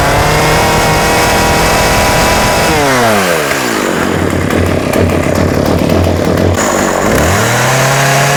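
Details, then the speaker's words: Husqvarna 36 chainsaw with 14in bar, running without choke after carb clean-out and fuel line replacement: revs high, then drops to a sputtering putter and picks back up, cutting in and out. Coil or electrical fault suspected; off switch also not working. "See, it was like cut cutting in and out. So, that's one of a couple of things. It's the coil or some sort of electrical type problem."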